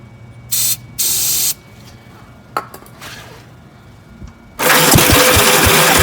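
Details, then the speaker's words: 1965 Gravely L8 walk-behind tractor, first start after sitting, on choke with starter fluid, homemade muffler: short bursts and pops, then catches and runs roughly with uneven thumps as throttle is added; sputtering run. Cause suspected, not confirmed. "here it's wanting to go some throttle here i'm just picking up gas for the carburetor"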